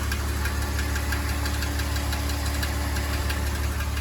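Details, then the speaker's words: 2005 BMW X3, owner suspects transmission: steady idle with a light, fairly regular chirping tick about ninety a minute, seeming to come from the back of the engine near the bell housing/flywheel, not top or front. "it's this chirping sound, this ticking sound."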